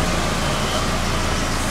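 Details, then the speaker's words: 1990 Nissan 240SX S13, 5-speed, after water pump, thermostat and radiator replacement, running about two minutes on a cold morning: steady drone with a breathy rasp; exhaust leak at the rear just before the muffler. "there's a bit of an exhaust leak at the rear still the leak has actually just it's actually right there"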